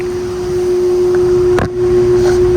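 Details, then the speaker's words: York Stellar condenser, R22, about 1998, GE fan motor, apparently reciprocating compressor: compressor not running, fan blades turning very slowly with a strong steady single-pitch hum; the fan motor is thought to need replacing. "The compressor isn't running, but the fan is running, and the blades are spinning really slow. I think it needs a new motor."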